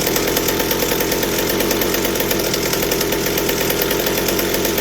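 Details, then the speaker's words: Chainsaw held wide open at a clean, even high scream that never breaks into four-stroking: McCulloch 790 frame with MC101 kart engine, header and pipe, 3D-printed carb adaptor; carburetor works but runs lean on high speed. "but it's not fitting enough on the high speed i can't get it to four strokes so the carburetor works but still the same issue"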